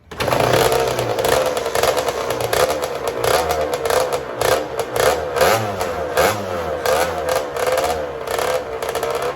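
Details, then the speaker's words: Custom Honda TRX90 with rebuilt CR85 two-stroke engine, after rejetting from 40 idle/110 main to 45 idle/130 main: crisp, even revving with quick, clean blips; jetting now much more spot on, though the head gasket blows shortly after under hard revving. "That's a lot more spot on, boys. Smell it. That's better. That's downright almost fast."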